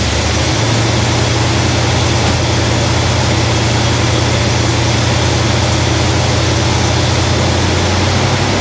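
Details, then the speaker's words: 1971 Cadillac DeVille 472 V8 with restored Quadrajet, after slightly raising the idle and reconnecting vacuum advance: steady, even deep rumble with no miss or stumble; vacuum advance kicks in and smooths the idle nicely. "it opens up the throttle plates a little bit and lets a little vacuum get to the distributor and then Smooths it real it Smooths it out really nicely"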